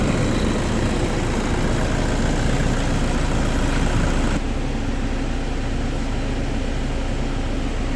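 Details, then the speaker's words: Toyota Vigo 2KD diesel after repairing a leaking cylinder 4 injector and replacing a cracked valve, just started, not yet warm: steady low diesel clatter at even idle, no misses or knocks; shaking gone, engine runs smoothly, normal idle. "ตอนนี้สตาร์ทเครื่องยนต์แล้วนะครับเครื่องยนต์เดินนิ่งแล้วนะฮะ"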